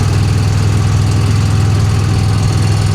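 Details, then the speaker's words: 1966 Chevy Impala V8, long-flooded car on its first highway drive in over 20 years, accelerating with plenty of power: loud deep rumble with an uneven clatter about 2.5 beats a second; cause unclear. "Oh, wow. God, the engine is making so much noise."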